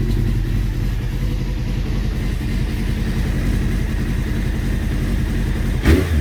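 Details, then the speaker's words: Honda CBR600F3 carbureted motorcycle, jets cleaned, idle set near 1200 rpm, not fully warm, choke just off: low burble with uneven, lumpy beat; rough idle persists, carburetor synchronization suspected next. "really so as you can see there's still a bit of a lumpy Idol"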